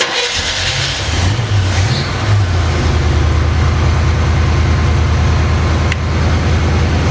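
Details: 1981 Pontiac Firebird Trans Am, carbureted, first start after years in storage, after fuel filter replacement and gas in the carb: catches after a short crank, settles into a steady, even low rumble; runs normally.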